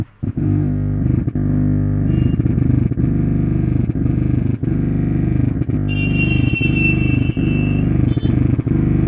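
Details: Zebronics home theatre after SMPS power supply IC replacement: constant low droning hum from bass speaker with irregular thumps about once a second; subwoofer amplifier humming and motorboating.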